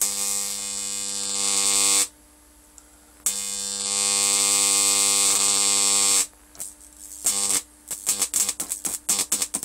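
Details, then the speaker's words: Homemade high-voltage transformer with new secondary coil, about 20 volts input: harsh hissy electrical buzz switching on and off in bursts, corona leaking from the high-voltage side, audible through the handle. "that was just another Vault see I can hear that on my handle already the corona"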